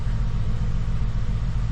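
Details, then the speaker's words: 2014 Ford F-150 with an ongoing misfire that the dealership claimed to have fixed, heard after the coil connectors were reseated. It needed throttle to crank, then gives a low idle rumble with an uneven beat and periodic dropped pulses, so the misfire persists. "but it's definitely got the MF still I can feel it"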